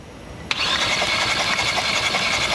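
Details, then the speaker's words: Kia Rio 1.6L four-cylinder hydrolocked after driving through floodwater, cranked with spark plugs removed for a compression test: starter whirs fast and light with an even, unloaded spin; gauge reads zero, no compression. "all right man go ahead and crank it two three zero have no compression that's not too a good start"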